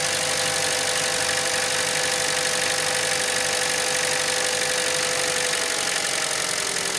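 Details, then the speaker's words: 2012 Chevy Cruze 1.4L idling just after new spark plugs and ignition coil assembly for a P0304 cylinder 4 misfire from corroded plug connections: even, steady idle with constant hiss, no stumbles, running smooth, not yet warmed up. "Sounds like it's running pretty smooth. I'll take it for a drive and check it out under load."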